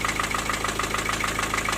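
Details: Four-cylinder diesel at idle: sharp, regular metallic knock about seven per second. It was caused by a loose piston in cylinder four with almost 1 mm of play. The block needs boring. Injectors had been ruled out and valve clearances were roughly normal.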